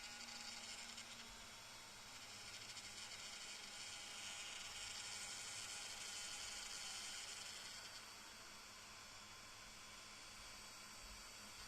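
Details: DJI Air 2S drone with a stuck gimbal and a motor overloaded warning: a thin, high whir with a light rattle about three times a second as the gimbal motor buzzes against its stop.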